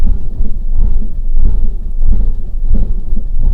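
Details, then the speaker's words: 2011 1.2 Lounge, engine light on, heavy misfire at idle: deep lumpy uneven beat with surges about every half second; owner suspects throttle body, coil pack or bad spark plug, worst case compression, pending ECU scan. "it's banging and crashing now that could be all sorts of things so hopefully my ecu scan will tell me what it is if it's a throttle body or i mean it's it's missing isn't it big time it could be something serious like compression"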